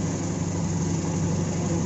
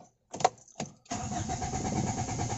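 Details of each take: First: AEFE 92 engine after hard-starting problem was fixed; smooth, even low idle with steady hum and no misses, knocks or stumbles; normal idle. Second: AEFE 92 ENG. HARD STARTING ENGINE ISSUE DONE.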